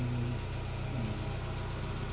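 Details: Chevrolet Aveo that would not start, now running, scanned with no error codes: low even thrum with steady pulse, no misses or knocks; normal idle.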